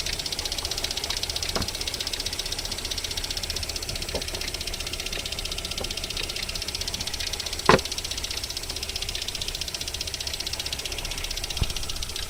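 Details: VAZ 21127 engine, cold idle during warm-up: light, uneven knocks at roughly four per second with occasional sharper hits; unexplained knock that lasts until about 40 °C, then disappears.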